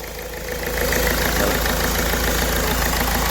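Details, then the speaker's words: Ford Figo diesel with DTC P0203, then an open circuit fault: a knocky, lumpy idle with hunting and the malfunction light on. The number 3 injector is shorted, causing a cylinder misfire. "तो यह injector shot हो गया है तो ठीक है इसका short हो गया है तो इस कर के गाड़ी में इसका रही है और इसमें मालफंक्शन की लाइट ए रही है"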